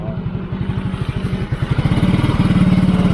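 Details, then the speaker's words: Yamaha motorcycle with its diasil cylinder block relined with a steel Takayama liner, after a 12 km ride: uneven single-cylinder idle, then the beat quickens and grows louder; rpm sometimes rises and falls; engine smooth, not overheating. "masih halus cuman hanya saja nah ini ada kadang rpm-nya naik turun ya rpm-nya kadang naik turun seperti ini"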